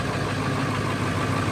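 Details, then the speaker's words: High-mileage, well-maintained early 1999 Ford 7.3 Powerstroke diesel just after a cold start: steady idle with an even rumble and no skipping, misses or irregular knocks; healthy idle. "Sounds healthy. Sounds happy."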